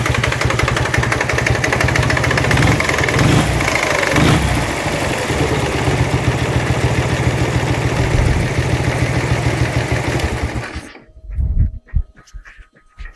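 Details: Dnepr-11 boxer twin motorcycle at idle: uneven knocking beat over the exhaust note, then cut off; new knock whose source was not found even after opening the engine.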